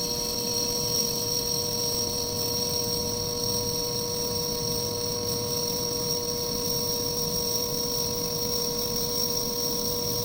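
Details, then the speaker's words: Lathe finishing cut on a homemade bench/pin punch block: steady, even high whine with constant tones and no chatter, leaving a mirror-like finish. "All right, there it is. There's that gorgeous mirror-ish finish we're looking for."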